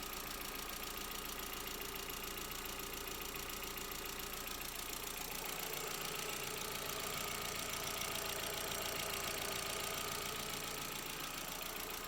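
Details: MK4 Jetta 1.8T idling just after first start following head gasket repair with replacement head, new timing belt and water pump; steady even idle, fast regular beat, bright airy hiss, nothing abnormal; smoky, owner suspects valve cover leak.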